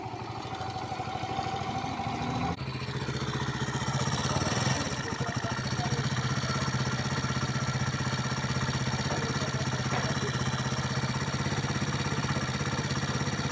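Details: Pop 100 small engine at steady idle with an uneven mechanical patter about four times a second; an abnormal engine noise, cause unknown.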